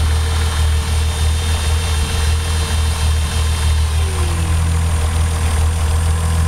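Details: Toyota 7M-GTE six-cylinder checked with a Colortune spark plug: idle with slightly uneven stumbling rhythm from cylinder 1 misfiring.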